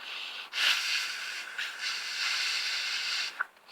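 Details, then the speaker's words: Attic water tank ball cock float valve, before repair, valve closed: steady airy hiss about three seconds as air gets past a worn, uneven rubber washer; float valve leaking when closed. "so when it closes I shouldn't be shouldn't be able to get your air"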